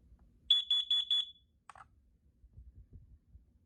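Four sharp, high-pitched beeps in quick succession, then quiet; the alarm sounds properly on test, so the unit works.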